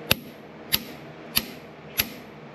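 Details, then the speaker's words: 1933 John Deere Model E 1.5HP hit-and-miss engine, igniter out on the bench wired to a coil after sanding the contacts: five crisp, sharp snaps about 0.6 s apart, a strong regular spark, so the igniter is sparking normally. "and it sparks. So I think we'll have spark."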